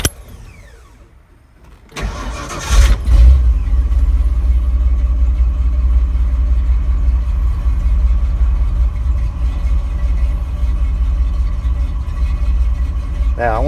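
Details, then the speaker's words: Ford 351M/400 with an old direct-drive starter replaced by a budget gear-drive starter, engine cold: brief quick odd-sounding whir typical of small starters, then it catches into a steady deep idle; normal cranking and start. "Sounds weird because those little starters do sound weird, but"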